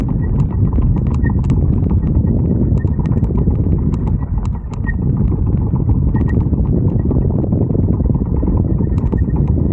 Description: ebike front wheel hub weird noise when there is no torque or power needed. weird ticking noise when I let go of the throttle.